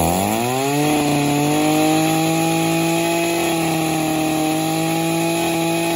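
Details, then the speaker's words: Two-stroke engine revving: steady buzzing with rough, rattly knock; play found in wrist pin bearing causing the knock, engine burnt with no compression. "i can feel the play in the wrist pin bearing and that's where the knocks coming from"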